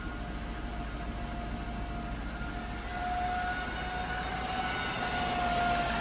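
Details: 2008 Jaguar XJ running: thin steady high whine over the engine that rises slightly with revs, with battery warning light on; original alternator failed.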